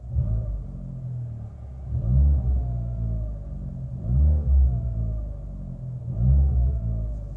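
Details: Fiat 500 Abarth engine revved in repeated bursts with a thin mid-pitched whine rising and falling with revs, slightly louder than typical in the cabin; whine under acceleration, source not pinned down.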